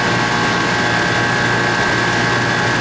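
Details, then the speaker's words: Refrigeration condensing unit on R22, after repair for water in the lines and a long vacuum, at 246 head and 67 suction pressure. Steady even hum with smooth airflow and no knocks; the system is running normally. "come back and check it in a few minutes okay this system's doing pretty good"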